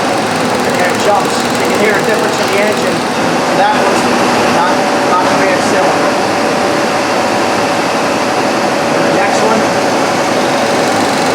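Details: 1998 Ford Ranger 3.0L, no misfire code: uneven, lumpy idle with a dead beat in firing rhythm; cylinder two not firing, traced to open-circuit injector.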